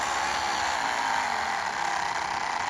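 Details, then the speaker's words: Life-Like HO scale F40PH locomotive motor turning slowly: a thin, scratchy, dry whirr. The motor's bearings have dried out and make extra noise at lower speed, blamed on sloppy build quality; probably more than half the model's noise comes from the motor. "Especially those bearings, they dried out pretty quickly and start making that extra bearing noise at lower speed, which is always a bit of a frustration. That just comes from sloppy build quality."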